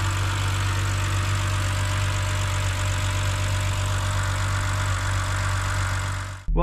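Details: BMW E70 X5 30i M Sport, N52K inline-six, idling with the serpentine belt removed: a thin constant whine persists over the engine, eliminating the alternator and power steering pump; source still unconfirmed.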